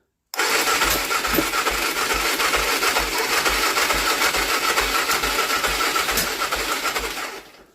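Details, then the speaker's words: BMW F 650 GS after air box cleaning and reassembly, with the battery charged to near 15 V: the starter churns evenly for seven seconds but the engine never fires, a crank-no-start; the owner suspects the spark plug. "Bon, coup dur, ça démarre pas. Écoutez, je pense que c'est la bougie."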